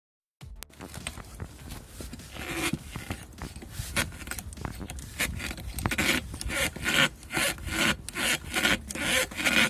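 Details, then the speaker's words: Front suspension creak: repeated dry rubbing creaks, about one a second, heard over big bumps. The cause is the front right lower control arm's rear bushing, torn and separating from its outer shell; the small front bushing was also worn. "это едешь на сильных кочках вот такой звук поэтому будете знать если у вас будет такой звук"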